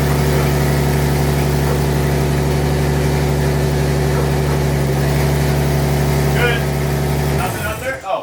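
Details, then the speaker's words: BMW E46 turbo drift build first start, no O2 sensors or wideband connected yet: deep, even idle with a steady beat and no misses for seven seconds, then shuts off cleanly; smooth idle. ">> That ran pretty smooth, too."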